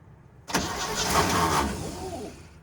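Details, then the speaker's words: Old water truck on a Nevada highway cranks over but never catches, no fire; headlights work, spark being checked, wiring suspected, later starting fluid and gas poured into intake, possibly flooded. "no power oh headlights are on they were okay hold on is there a push button yeah no fire either way try it again i'll see if that thing's sparking away"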